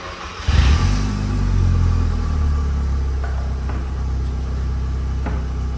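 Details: Vauxhall Astra GSi turbo, cold 2 °C morning, warmed up after fitting correct spark plugs gapped to 0.7 for a misfire on boost: engine pulls smoothly from a low rumble into a steady drone, no stutter on boost; normal acceleration.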